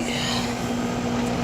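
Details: Amana 13 SEER 1.5-ton outdoor AC unit after repair of a compressor that would not start (4-blink locked-rotor code), thermostat calling for cooling: steady low compressor hum with constant fan buzz, no clicking or stalling; normal running.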